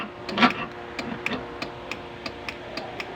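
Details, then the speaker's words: Honda Wave 110 motorcycle that won't push-start: sharp, evenly spaced relay clicks with no cranking because the battery is weak; something also seems to be rubbing in the starter. "so lumalag na lang yung relay dahil mahina na ang kanyang battery pagka tumunog naman So parang iba yung tunog mga mga idol parang may sumasayad sa starter"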